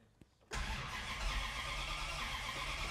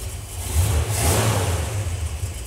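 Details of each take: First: 1964 Dodge 440 with 383 big block and push-button 727, revived after 20+ years: long steady cranking without catching, fires just as key is released; suspected ignition box/coil not getting power during cranking. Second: 1964 Dodge 440 with 383 big block and push-button 727 transmission, revived after 20+ years sitting, fresh transmission fitted, ignition box and coil: it catches at once and revs rise and fall smoothly into a clean, steady run; normal start.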